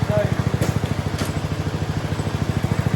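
A fast, even single-cylinder putter that holds a steady beat with no misses or knocks; the mower is running healthy.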